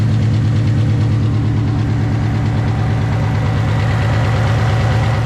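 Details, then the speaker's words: Ford Fox body notchback, Coyote-swapped with Whipple supercharger, about 900 hp, on E85, at cold start: heavy lumpy V8 idle with deep pulsing thump about twice a second, louder from underneath; cause unknown; engine noise at idle. "Alright, so these here, we've got a little bit of noise. I think you can hear it worse from the bottom. Yeah. Not real sure what's going on."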